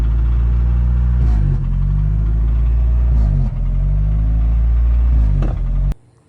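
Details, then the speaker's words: 1992 Toyota 4Runner with 22RE four-cylinder and G58 manual transmission: idle sags and stumbles every couple of seconds when the brakes are applied. The temporary fix is plugging a small port in the intake boot near the mass airflow sensor with JB Weld. "today I'm going to show you guys how to fix that nasty engine stutter when you guys press your brakes."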